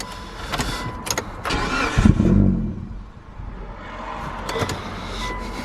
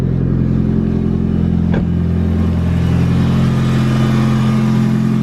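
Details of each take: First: Mitsubishi Evo on first start after fitting intercooler piping and a blow-off valve: the engine catches and stumbles with surging rhythm. The engine management light logged intake air temperature and mass airflow faults because the MAF sensor plug was only halfway in. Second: Mitsubishi Evo after fitting intercooler piping and a blow-off valve, with the MAF plug reseated and codes cleared: loud steady revving with a quick chattering turbo flutter when the throttle closes, so the setup now works.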